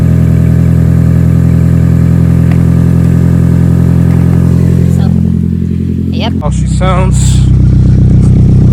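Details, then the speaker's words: 2011 Toyota Camry with a leaking flex pipe seen earlier. A deep, loud, blatting rumble at idle, far louder than stock. The exhaust is broken or leaking; the owner suspects the flex pipe. "oh that's how she sounds right now okay so she's pretty much loud pretty much she's loud okay she sounds like a scatty sounds like a scatty with the scit pipe you know what I'm saying"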